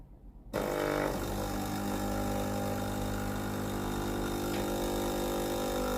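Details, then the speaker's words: Philips GC9315 steam iron after replacing the failed water valve coil (no steam though it powered on): sharp start then an even, steady buzzing drone as the water pump runs normally. "ยินเสียงปั๊มน้ำปั๊มน้ำแล้วนะครับ"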